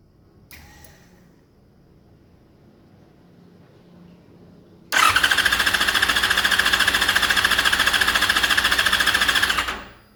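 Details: Yamaha FZ6 during spark test: steady, fast starter cranking at about three and a half pulses a second, never catching or picking up speed; cranks but won't start.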